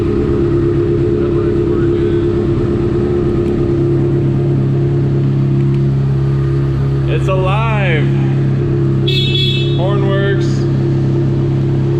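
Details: Salvage 2015 Honda CBR 600RR, 8,831 miles, running after tip-over sensor was plugged in and fuel pump primed; steady even idle with low hum and two quick horn chirps, engine running normally.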